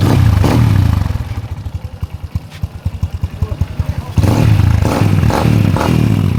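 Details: Honda Revo Absolute after replacing the cam chain (keteng) and tensioner roller: a couple of throttle blips, then an even idle putter with steady beats and no chain rattle or clatter; engine healthy.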